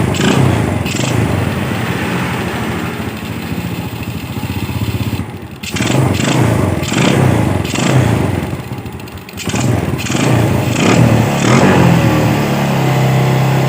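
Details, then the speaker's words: Yamaha Vega R motorcycle after carburetor service for a carburetor complaint, carb reinstalled: small single thumping at an even idle with a couple of throttle blips returning cleanly; engine now normal idle. "Baiklah jadi pemasangan karburator sudah selesai jadi nanti kita tinggal pembersihan di bagian acre filter saringan udara dan juga pemasangan box box dan cover bodinya jadi kita rapikan jadi motor sudah normal"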